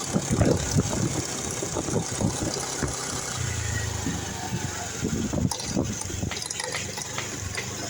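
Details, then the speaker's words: Automatic scooter idling: uneven metallic rattle from the side casing. "Di bagian mesin sampingnya bunyi kemeretek. Nah, di sini saya akan coba cari permasalahannya ada di mana. Mungkin ada di bagian rumah CVT atau rumah kampas gandanya ya teman-teman."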